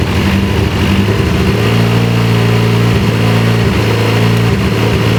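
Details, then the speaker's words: Dodge Caliber after coil wiring was cut and rejoined via a harness: idle pulses stumble unevenly, losing a beat; unplugging one coil made no difference, showing that cylinder isn't firing; a wire harness fault is suspected. "So this TPMS is fucked up, but your car, when I unplugged this cylinder's not firing."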